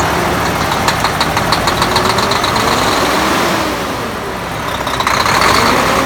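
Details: Volvo D13 diesel idling after replacing double idler gear in timing gear compartment; even heavy clatter near four beats a second, dipping briefly midway then recovering.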